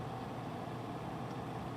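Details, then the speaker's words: Noctua NF-A14 iPPC-3000 PWM 140mm replacement case fan in a Corsair One i160, believed at max 3000 rpm versus quieter stock fan at about 1600 rpm; constant even air rush and low hum, no ticking or rattle, spinning normally. "so with the other one a lot quieter because it wasn't spinning as fast i believe that's 16 1600 rpms i believe this is at its max 3000 rpm"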